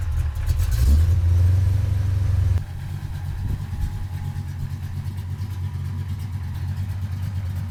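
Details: 1983 Ford Fox-body notchback coupe 5.0 V8, cold start with a gas pump: strong revving, then lumpy, uneven, wavering low idle; owner blames the non-vacuum-advance distributor for poor cold running, says it idles fine once warm.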